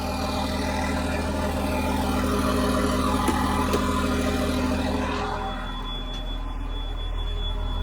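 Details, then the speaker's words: John Deere JD6081H diesel, 10,739 hours, in a 300D articulated dump truck parted out for differential issues: deep, even idle with a steady beat and no knocks or misses, then it eases down smoothly. It runs good and healthy. "Runs good, don't it?"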